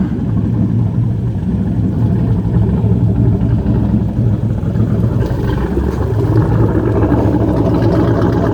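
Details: Jersey Skiff JS39 17ft Bender boat, inboard 350ci V8 of about 400hp with Edelbrock aluminium heads, upgraded cam and Holley Marine 600cfm carb, idling on shore water after a 2-year rest; deep, steady, even burble, no knocks or misses, healthy.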